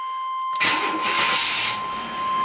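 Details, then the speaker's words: 1991 GMC Jimmy 4x4 V6 after slow-crank complaint, battery load and parasitic draw tests passed (7 to 9 mA draw): brief crank, fires right up and settles to a smooth steady idle, charging over 14 volts; normal start. "fires right up charging over 14 volts looks good"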